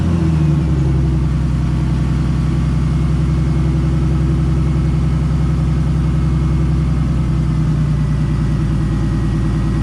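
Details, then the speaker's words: BMW E46 turbo build with the intercooler being installed, front bumper off, just after a cold start: even, steady idle with a deep, constant rumble and no misses, stumbles or ticks. It runs really smooth and is normal. "okay so as you can see it's running it runs really smooth i'm gonna let it warm up a little bit"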